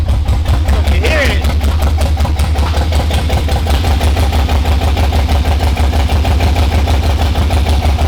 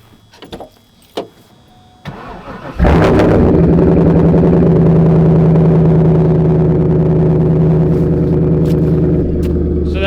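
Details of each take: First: Nissan R32 GTR with LS swap, new wiring harness and new spark plugs, first start: rough, lumpy idle with an uneven stumbling beat instead of a smooth V8 burble, not firing on all cylinders; suspected injectors stuck from sitting. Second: LS1 V8 swapped into an R32 GTR with a new Holley wiring harness, after fixing its earlier poor running: a few clicks, then it catches and settles into an even, deep, regular idle rumble. A healthy V8.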